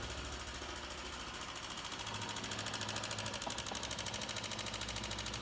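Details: 2008 Honda CG 125 idling: sharp, even top-end ticking about three a second; mechanic checks for oil rising and suspects wear in rocker arms, pushrods or camshaft, and finds the top end very wet with oil.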